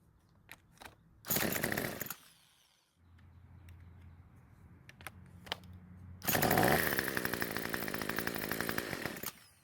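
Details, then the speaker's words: Craftsman trimmer on fresh fuel, driven by an electric starter. The small engine catches and buzzes only while the starter keeps spinning it and will not keep running alone. Air leak from loose bolts. "so it's basically doing the same thing as before it only seems to start and run when I have the starter on the engine"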